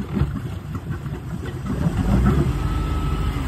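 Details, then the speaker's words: Boat with rebuilt Jasper 4.3 engine on a load test in gear, throttle brought up slowly; deep uneven rumble that stumbles rather than picking up cleanly, suspected carburetor acting up: stumble on acceleration. "bring it up slowly ah sounds like carburation right there let's try that"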